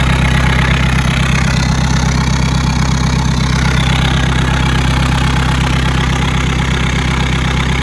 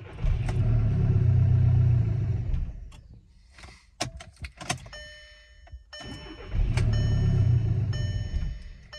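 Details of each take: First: 2012 VW Golf SportWagen CJAA TDI with 262,000 on the original timing belt, after a no-start: steady, even diesel idle clatter with the high-pressure EGR undone to rule out a seized turbo or DPF restriction; it now runs normally. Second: 2012 VW Golf SportWagen CJAA TDI, DSG, 262,000 on original timing belt, good rail pressure: two bursts of cranking that catch and miss but never run; suspected exhaust restriction from failed turbo, like a similar car that ran with top pipe off. No start.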